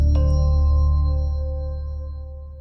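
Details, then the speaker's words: Apple HomePod after factory reset (unplugged 10 s, replugged, top held until red light and 3 beeps, iPhone held nearby); single soft sustained chime that slowly fades as it finishes resetting and offers setup. "And as you saw right there, it's now reset and you have the option to set up."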